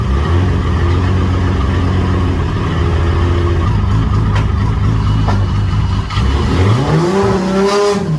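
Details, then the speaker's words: Toyota 7M-GTE just reassembled after rebuild, TPS calibrated, cold start (still poor): heavy low lumpy loping idle around 400 rpm, revs sag and wander as if about to stall; rough idle. "yeah it's about to die so i've just started up again but uh yeah straight away good times and uh ignoring the horrible noises it was making as i was trying to idle at like 400 rpm"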